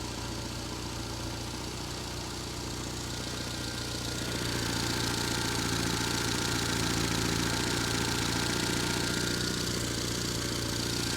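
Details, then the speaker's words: Petrol engine after coil issues, idling steadily with an even low hum rising slightly after a few seconds; sounds good, though an exhaust gasket is hissing. "The motor sounds pretty really good now. Which is a surprise."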